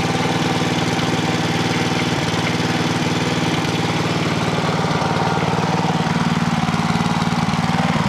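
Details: Clarke generator with Briggs and Stratton engine, after governor repair for over-voltage, low on fuel: steady even beat without hunting or surging; governor holding speed, max rpm still to be set with voltmeter.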